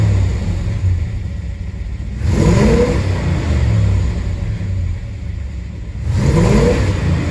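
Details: 1967 Chevelle SS 396 V8, misfire and hesitation since a dead battery: two quick throttle blips with revs climbing unevenly and stumbling; misfire under acceleration.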